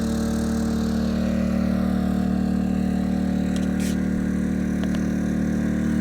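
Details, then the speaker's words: Yamaha EF2000is 2 kW generator, below zero outdoors, powering a whole house plus garage lighting: steady raised speed with an even throbbing note, no surging or misses; normal running under load. "all right here we go all of this the entire house running off of a Yamaha ef2000 is it is possible"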